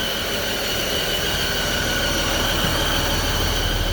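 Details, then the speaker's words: Freightliner M2 106 Business Class with Cummins diesel at idle and revs: loud high belt-like whistle, belt not the cause, with smoke in the engine bay. Blown exhaust manifold gasket at one port. "I take the exhaust manifold off, and right there, that's the one that was making that loud whistle noise."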